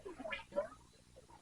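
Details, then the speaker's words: Road King front fork being filled with oil. Two quick wet squishing gurgles as the fork extends show air being sucked into the void between fork tube and leg, so the fork oil level is too low. "That tells me that we need to add some more oil in here because when the fork extends far enough, it's allowing it to actually suck air back into the void in between the fork tube and the fork leg here"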